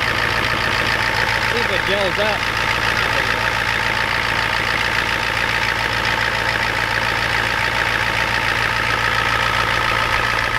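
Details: Ford F250 7.3 IDI diesel just cold-started at 12°F with glow plugs and ether: steady even clatter at idle, about three to four knocks a second, no misses or irregular knocks; normal cold-start idle.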